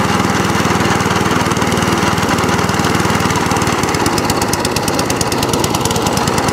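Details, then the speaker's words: Cylinder mower after new cylinder gear and pulley tensioner, drive cable refitted: single-cylinder engine runs with a fast, even putter at steady speed, no misses or knocking; drives and cylinder cuts in, healthy. "So it was a bit of a fix up this end, but it all drives, and also the cylinder cuts in as well, which is fantastic."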